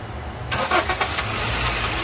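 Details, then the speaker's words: Honda City after repairing its starter motor, which had only clicked (tak-tak): one quick crank, the engine catches at once and settles into a steady even idle. The starter now works properly. "अब य हमारी half self में गाड़ी start हो चुकी है बाहर से भी आपको दिखाता हूं सेल्फ मार के स्टार्ट करके य एक सेल्फ में हमारी गाड़ी स्टार्ट हो रही है"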